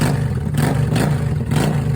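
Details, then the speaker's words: 2004 Honda Shadow VLX 650, in neutral at a gas station, starts instantly and settles into a steady, deep, even V-twin idle with a clean rev. This is after the no-start from a bad starter solenoid; it has a rigged homemade exhaust. "Okay, guys. Like you saw, the bike started like a champ."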